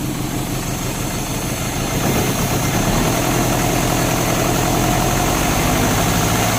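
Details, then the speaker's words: Euro-spec Mercedes 190E 2.0, 5-speed manual: uneven, lumpy idle stumbling three or four times a second with no steady rhythm; misfire from a spark plug. Two plugs were pulled and cleaned, and one is thought completely fouled. "as you saw we got it started up now it was misfiring and you guys saw us laughing but it was basically the spark plug we pulled those two out cleaned them off one of them is working right now I think one might be completely fouled out"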